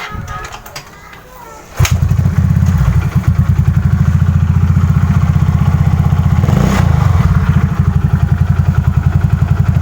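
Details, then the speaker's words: Yamaha Mio carburetor scooter after replacing the worn rear pulley shaft bearing (6203): revving to a steady drone with no whine; tested quiet to 40, not yet tested at 60 to 100. "jadi kita suaranya cuy udah gak ada nyium sih cuma gua belum ngetes jarak panjangnya"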